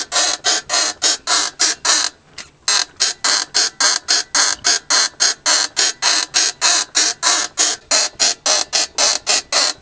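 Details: Mercedes W220 rear suspension: sharp, high creaks repeating about three times a second in a steady rhythm; exact source not pinned down.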